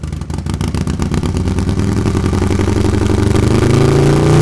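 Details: New S&S MK 136 crate engine with 550 cam for Harley-Davidson Milwaukee-Eight, first start after priming and confirmed oil pressure: lumpy V-twin firing climbs smoothly with revs, no knocks or rattles; runs healthy, may need fine tuning.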